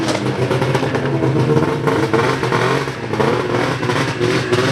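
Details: Ski-Doo 583 Summit two-stroke after HAC failure and delete, rejetted in below-zero cold with needle clips moved from third to second position and new mains (350/340): steady busy buzz at even pitch, no stumbles or misfires; runs cleanly.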